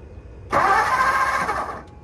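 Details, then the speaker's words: 1954 Ford Mainline 239 Y-block V8 long stored, with steady starter churn and no firing: cranks but won't start; no power out of the old, internally broken ignition coil during cranking, so it was replaced. "crank go again no power out of the coil so we did not a surprise not one bit"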